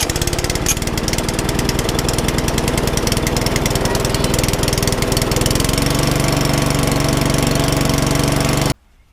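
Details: Single-cylinder lawnmower, owner suspected sheared keyway, started with a bit of choke: steady fast even popping for about nine seconds then cuts out; runs properly.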